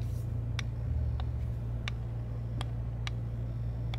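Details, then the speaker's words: Digiflavor Helix box mod with a step-down chip, firing: light ticks about twice a second over a hum, an electronic tick suspected to come from the PWM chip. "It had a certain chip in it. I can't remember what it is, but it ticks just like that. It's like a MOSFET, if you will."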